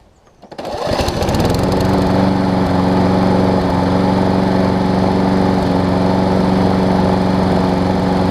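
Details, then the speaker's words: Troy Bilt self-propelled mower, Briggs & Stratton Quantum, wrong auto-choke carb replaced with the correct primer-bulb carb, warm push-button start: fires immediately and settles into a steady, even drone with no surging. It smokes slightly; the owner thinks it was run without an air filter. Runs good. "like I said does smoke a little bit because I think it was wrong without the air filter for a period of time apart from that it runs good"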